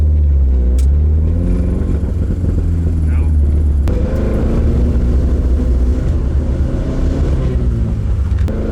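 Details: Carbureted AE86 build, ignition timing just moved, MSD ignition: engine stumbles and goes uneven as throttle opens, bogging instead of pulling; timing change didn't cure it, misfire.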